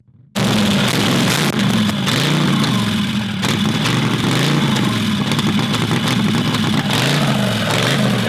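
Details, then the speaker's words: Predator 670cc V-twin dragster engine, first start. Loud lope hunts up and down instead of holding steady; rough idle, possibly a vacuum leak at the intake (only snugged). Unconfirmed. "there's a idle issue could be a vacuum leak from the intake"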